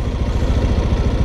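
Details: Scooter just started with electric starter, brake held, no throttle: low, even putter at steady speed with no knocks or rattles; healthy idle.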